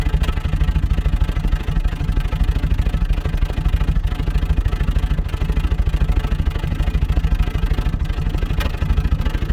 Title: Series 3 Land Rover Intermittent Misfire